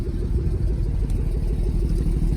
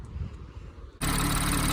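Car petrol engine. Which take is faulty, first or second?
first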